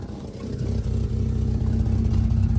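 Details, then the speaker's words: Honda K20-swapped car at idle after new headers fitted and exhaust leak fixed: low, even steady idle now under 1000 rpm instead of hanging around 1500 rpm; normal idle. "look at that it never idles under the one and it finally idling under a thousand RPMs"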